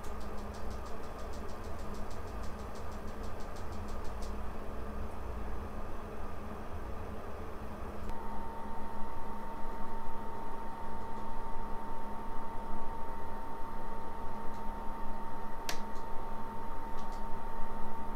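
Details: Fixed PS4 Pro fan after fan replacement and new thermal paste and pads: low, soft steady hum with faint airy hiss, nearly silent even while gaming; before, it peaked at 76 dB.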